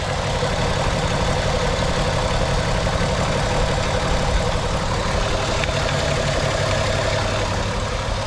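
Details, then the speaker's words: VR6 Volkswagen Beetle idling smoothly after Liqui Moly engine flush and hydraulic lifter additive; earlier lifter tick completely gone, no dash lights. "no lights on the dash runs smooth purrs like a kitten no more lifter tick sounds good"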